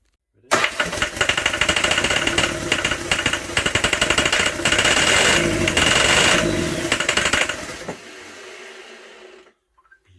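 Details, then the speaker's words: Land Rover 300Tdi diesel fitted to a Ferguson TE20 tractor, turbo not piped up so naturally aspirated, first start on ether; harsh rattling clatter picks up, runs about seven seconds then dies; fires on starting fluid. "so no turbo so it's just a quick see if she'll she'll run on a bit of ether and let's see what happens"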